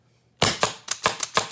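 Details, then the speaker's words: Autococker paintball marker, LPR being adjusted in quarter turns; cocking rod not pushed back far enough, needs more pressure. Sharp, fast clacks about every quarter second sound soft and underpowered; LPR pressure too low. "No, we're not pushing it back far enough. So we need to add a little bit of pressure."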